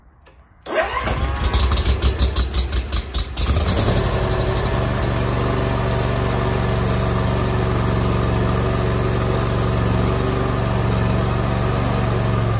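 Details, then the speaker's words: First start of a newly assembled Bradley 36-inch hydro walk-behind mower, with parking brake on, blades off, choke out and half throttle: after a couple of seconds of cranking it catches, stumbles briefly, then settles into a steady, even idle. "we're going to have the parking brake on blades off obviously choke out we'll go half throttle it might take a little bit for fuel to get through the system"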